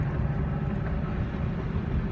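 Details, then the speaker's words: Dodge Charger driving after hours of suspension work including outer tie rod, alignment still needed; steady low road rumble with no clunks or creaks, though a bad ball joint remains. "so yeah so y'all don't hear any uh you don't hear any creaking or anything like that on this thing no more no more that uh bs"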